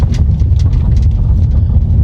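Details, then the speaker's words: 2007 Toyota Camry 3.5Q V6 driven over broken pavement: heavy low road rumble with irregular hollow knocks as wheels hit bumps; worn suspension clunking like a cart. "Jadi kendala di mobil ini kaki-kaki juga bunyi guys, bunyi kayak gerobak."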